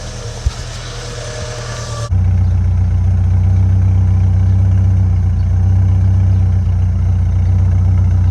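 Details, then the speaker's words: 1993 Ford Mustang Foxbody 2.3 Lima four-cylinder, after new fuel injectors fitted to cure an idle tick that remained after a lifter replacement: a steady, even low rumble with no misses or stumbles; healthy normal idle. "Hey, it almost sounds like a regular car. This is great. I'm happy with that."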